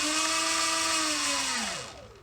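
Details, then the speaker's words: Sur Ron electric bike jackshaft after bearing replacement, non-O-ring chain: clean steady motor whine winding down smoothly, very quiet, previous clicking from worn jackshaft bearings gone; normal drive whine. "very quiet all the clicking's gone"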